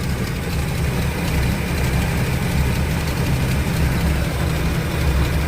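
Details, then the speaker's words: 1957 Chevy 210 V8 after a cold start, oil pressure near 40. It lopes at a steady idle with a rapid puffing tick on the exhaust note from an exhaust leak. "Of course, you can hear that exhaust leak."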